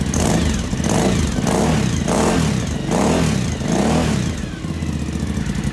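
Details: 2012 Suzuki V-Strom DL1000, first start after valve adjustment, gas tank work and reassembly; blipped a few times, revs rising and falling smoothly with even beat between; runs clean and healthy.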